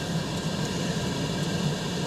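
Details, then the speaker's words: Grand Design RV propane instant water heater with water flowing: the blower hums and the igniter clicks irregularly, but the burner never lights. Tapping the flow sensor later got the fan working. "So, you hear the blower running and you hear the clicketity clickity click in there. That's the igniter trying to start the propane."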